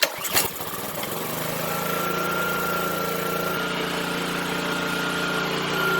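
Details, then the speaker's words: Pressure washer with Honda GCV190 engine, unused about four years, old fuel topped with a little fresh: won't start alone, pull then quick catch and steady run on starting fluid; spark good, fuel system suspect (valve, line, carburetor or bad gas). "one thing about engines if they run on starting fluid but not by self coil is good spark good but something wrong with fuel system"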